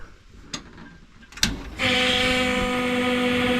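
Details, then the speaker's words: Holley Sniper 2 swapped for Haltech Rebel LS on LS2 Corvette engine, cold and unrun for days; clicks then steady loud fixed-pitch electric hum as fuel pump primes before cranking; loud fuel pump whine, pump to be replaced over fuel pressure issues. "so you will hear as you've heard before that loud fuel pump I'm going to change that out"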